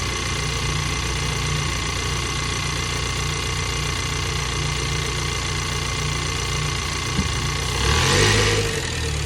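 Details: 2022 Ford Bronco 2.3-liter engine at steady idle with a fast, fairly regular ticking around three per second and a rising hiss near the end; abnormal engine noise, source not identified.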